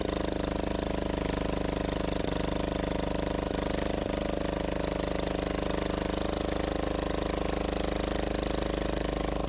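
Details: Gravely Model L repowered with a 10 HP Yanmar L100-clone single-cylinder diesel, first run after bleeding the injector line: steady thumping with metallic buzzing rattle from the exhaust bouncing around.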